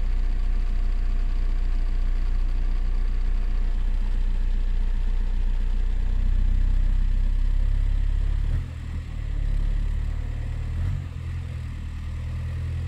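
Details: VW Golf 4 TDI diesel: deep, even idle with no stumble or shake, a steady low clatter that dips slightly and settles. Heard after the shuddering was fixed, which involved the injector wiring harness; fault codes are cleared and it runs properly.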